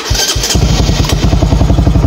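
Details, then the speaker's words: Motorcycle that wouldn't crank in neutral: brief starter whirr, then the engine catches at once and settles into a steady, even low thump. The neutral diode turned out fine; corroded fuse box pins were cleaned, and it now starts normally. "y swabe umandar na siya so salar hindi hindi pala sira yung diode"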